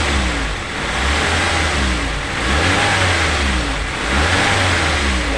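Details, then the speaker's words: Daihatsu Gran Max sand-hauling van after repair for a knocking, misfiring, weak engine, run in for a day: engine rises and falls smoothly through several blips with no knocking or stumble; healthy after repair. "halus ya teman-teman untuk suaranya sudah tidak ada ngelatak seperti kemarin seperti itu"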